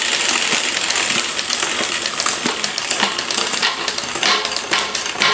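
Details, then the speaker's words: Liv road bike rear derailleur after adding cable tension at the barrel adjuster: light clicks and chain ticking, now much quieter and clean shifting down the cassette, previously noisy from too little tension. "Much quieter coming down. You can tell that difference."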